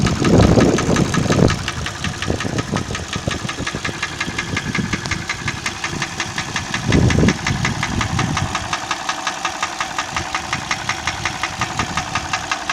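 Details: Hyundai ix35 gasoline engine at idle with a sharp, regular ticking knock about three times a second; source of the knock unknown.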